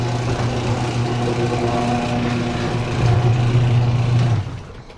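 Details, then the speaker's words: 1992 Ford Mustang LX, 434 stroker: the starter drone builds, then stops abruptly while cranking as voltage falls below the threshold of the MSD box and A1000 pump controller. Low battery voltage; owner suspects the new red top battery is bad. "So as you can tell, that didn't fix the problem there, but the fuel pump controller, once it goes to a voltage that low, it just shuts off, and you have to cycle the power again before it'll turn back on."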